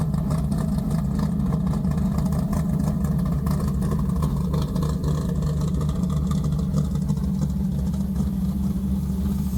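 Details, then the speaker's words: Deep, steady rumble with an even beat and no ticks or knocks, from a big-block V8; normal healthy idle. "I just like hearing 640 horsepower 505 cubic in of big block Mopar stroker built by my friend Mark at Advanced engine machine"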